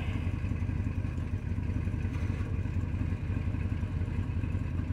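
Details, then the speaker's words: 2002 Chevrolet Silverado 2500HD 4x4 6.0L gasoline V8 with P0300 random misfire and P0332 bank 2 codes: heavy, low, uneven chugging about three beats a second as a cylinder misfires from a failed ignition coil. "there it is now we're starting to misfire i can really hear it chugging i should start getting a flashing uh check engine light here pretty soon"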